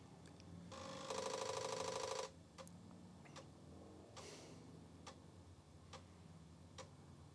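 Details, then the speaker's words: Apple IIe Platinum disk drive booting Flight Simulator after a power supply fix: short buzzing seek burst, then quiet regular ticks about three a second as the head steps; normal seek and read. "It's ticking along. And there we go. Flight Simulator's booting."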